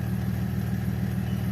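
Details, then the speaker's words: BMW E46 325i Touring 2.5 six-cylinder, warm idle, heard at the exhaust after earlier cylinder 4–6 misfire and spark plug check: steady even hum, no stumbles or misfire; smooth, though RPM dips just off idle. "Ah, there's no misfiring really. It runs smooth."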